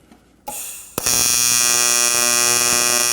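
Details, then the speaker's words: Arccaptain 200A AC/DC TIG welder, AC TIG on aluminum with blunted tungsten after adjusting AC frequency; after brief strike, steady even high-pitched buzz without sputter, focused controllable heat; normal stable arc. "Oh yeah. Much more what I'm used to, because you're really able to pinpoint the heat."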